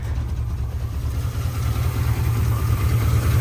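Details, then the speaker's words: 1974 Chevy C20 V8, revived after five years in a scrap yard, idling after a missing nut was replaced: deep, smooth, steady rumble with no ticking or puffing; owner can't tell if a faint noise is water pump or power steering, leans water pump; staying cool. "Not a daggum noise coming from that motor. Can't tell if that's water pump or power steering. Kind of sounds water pumpish, but I can't tell."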